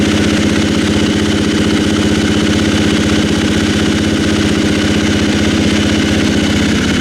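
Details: 2016 KTM 350 XC-F single-cylinder, first start after valve clearance check/adjustment and new battery: catches and settles into a steady even idle, clean exhaust beat, no obvious valvetrain ticking; normal idle.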